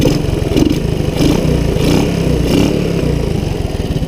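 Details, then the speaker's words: Honda ATC185 after struggling to make it run well, with the air mixture screw and timing adjusted; single-cylinder thumping settles into a steady, even idle without stumbling, choke off; running cleanly. "she's running and then idling and the chokes not on"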